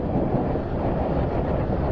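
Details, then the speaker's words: Suzuki 1200 Bandit after fixing a faulty fuel tap, tap on "on": smooth, even low rumble idle with no misses or stumbles; very smooth normal idle, owner may still replace the tap in case of intermittent fault. "Well, she sounds good though. That's very smooth."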